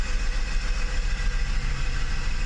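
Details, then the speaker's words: Mercedes 600SL V12 after E-gas throttle control module tested OK, before throttle body rebuild, not started for a few days: deep smooth even rumble, no knocks or misses; normal idle. "well that looks good to me let's give it some gas [Applause] all that looks very good to me"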